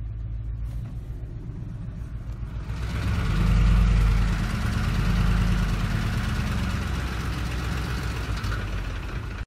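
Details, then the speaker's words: 2004 Ford F-150 5.4L 3-valve V8 under light acceleration, VCT solenoid duty cycle about 40%, around 900–1,200 rpm: quick rattle about four per second that swells with revs; cam phaser oscillation that stops on lift-off. "I let off it turn off a noise goes away again and these turn on around 900 rpms or so you hear this most around 900 to 1,200 rpms"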